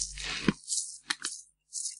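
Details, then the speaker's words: Old water pump belt tensioner pulley bearing from a Renault 4L, removed and spun by hand: short gritty rattling bursts that die out quickly; sounds rough and worn, possibly worsened when tapped during removal. "suis pas si vous entendez il fait du bruit en même temps quand j'ai tapé dessus j'ai pas dû l'arrangé"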